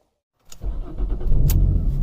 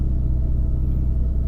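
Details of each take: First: Jaguar X-type no-start: starter cranks the engine over with a low, steady churning, fuel pump not felt kicking in, never fires; owner believes a fuel-related fault, since a full scan showed almost no codes; cause unconfirmed. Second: Jaguar X-Type after a no-start, fixed by reconnecting the air flow meter that had been left unplugged (no fault code, fuel pump was suspected first): deep, even idle rumble with no misses, knocks or hunting; normal idle after repair.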